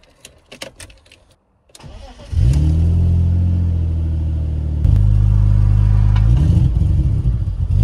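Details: BMW E46 with a misfire, after cleaning and refitting the throttle body: it cranks, catches and settles to a low, slightly lumpy idle with a blip. The cleaning didn't fix it, and a new throttle body is suspected, not confirmed. Rough idle.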